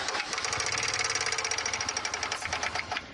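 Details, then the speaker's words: Dodge Charger petrol engine running with fast even metallic ticking from a loose, floppy timing chain tensioner found on inspection. "You know what, Dave? It sounds exactly like the noise we heard. That ticking."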